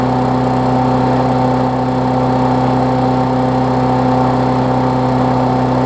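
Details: Briggs Classic engine swapped onto a Bolens push-mower deck, running while a newly wired ground kill switch is tested (the plastic frame later proves to block the ground): smooth, even drone at constant speed with no misses or knocks; running healthy.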